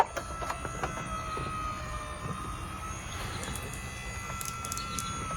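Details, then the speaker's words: Carefree Travel'r motorized awning arms with a Dometic 8500 21' awning tube on an MCI bus conversion, extending: even motor drone with a faint steady whine and no grinding or labouring; normal motor operation. "So it sounds good, motor sounds good and all that, you know."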